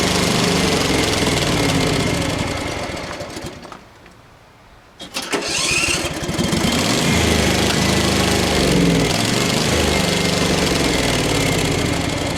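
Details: Craftsman FS 5500 lawn tractor before its carburetor was cleaned: the engine runs, dies about four seconds in, then catches again and runs unevenly; the owner says there was dirt in the carburetor.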